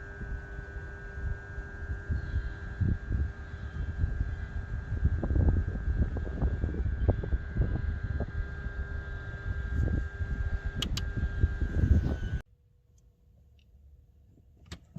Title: 2004 BMW 325i weird click from around disa valve. Rough idle, Car stalls and dies.